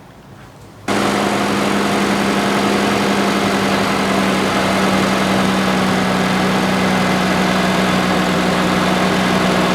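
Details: 2013–2019 Nissan Pathfinder 3.5L V6, 11 years old with low mileage, just after replacing a severely cracked serpentine drive belt: engine catches and settles into a steady, even idle with a smooth hum, no squeal or chirp.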